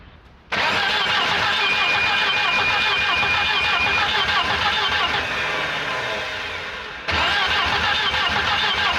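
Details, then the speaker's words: Long-stored 1984-85 Volvo 240 found in the woods, cranked on brake cleaner with smoke seen coming from the dipstick tube. A heavy, dragging crank slows toward the end and never fires; labored slow cranking, with the owner suspecting low compression. "yep she's struggling I think I think uh I think that's about it this car is definitely down on compression is what it is"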